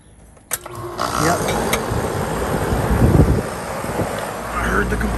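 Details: Home AC outdoor unit restarted at the disconnect after a loose nut was tightened. A click, then the compressor and fan spin up into a steady even rushing hum, running normally.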